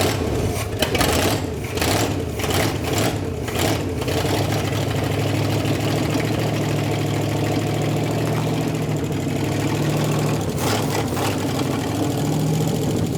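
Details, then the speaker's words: 1957 Chevy V8 started after 40+ years, no coolant in it, after pushing the coil wire on further and tightening the coil positive side: fires right up, rough at first then settles to a steady even idle; normal idle. "it fired right up and it cleared up too like it started actually running and idling a little bit better"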